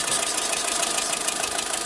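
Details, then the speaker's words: Volkswagen Saveiro lacking power on pull-away, no codes or misfire counts, warmed up at idle: fast, uneven puffing tick like an exhaust or air leak over hiss; suspected valve problem or detonation, not confirmed. "se escucha como si hubiera una fuga como de aire como una fuga de escape aquí como a esta dirección"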